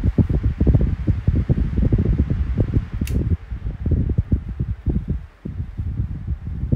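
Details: 12-inch Kool-Flo SFC2-300B high velocity 3-blade fan on high speed: strong airy rush with low gusty buffeting, no hum on high (hum only on low and medium); earlier bearing noise gone once the oil worked in; running normally.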